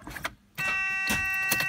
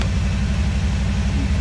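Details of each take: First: DeLorean fitted with a 350 engine, fuses checked good: steady tone with light clicks, pump heard only briefly, then a rough crank that dies without firing; the relay isn't powering the pump, which works when jumpered. Owner suspects the recently fitted RPM relay. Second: DeLorean fitted with a 350 V8, after fuel pump work: deep, even burble with a steady low lope, no knocks or misses; normal idle.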